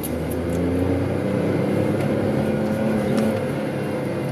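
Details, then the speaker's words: VW Polo with faulty camshaft position sensor (OBD P0342): full-throttle pull in second gear, revs stall flat at a capped ceiling around 4,500 rpm instead of climbing; limp-mode rev limit, same in every gear. "so this is the acceleration in first gear at full throttle limits outs like four and a half thousand and in second gear"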